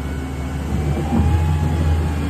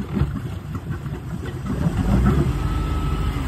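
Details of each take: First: Jasper 4.3 V6 boat engine on a load test; the carburetor acted up slightly earlier. A deep, steady drone climbs as throttle comes up, pulling evenly with no misses or knocks, oil pressure 120: normal running under load. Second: Boat with rebuilt Jasper 4.3 engine on a load test in gear, throttle brought up slowly; deep uneven rumble that stumbles rather than picking up cleanly, suspected carburetor acting up: stumble on acceleration.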